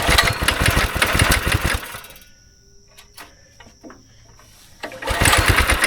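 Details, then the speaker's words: Go-kart engine sitting about 3 years, started on choke with carb cleaner, held wide open: catches, runs ragged two seconds, dies, sputters back; bad gas suspected still pocketed in the tank, smells and runs awful. "So we got it to fire up. It smells awful and it runs awful. There's still some bad gas somewhere in the tank, like in a little pocket t"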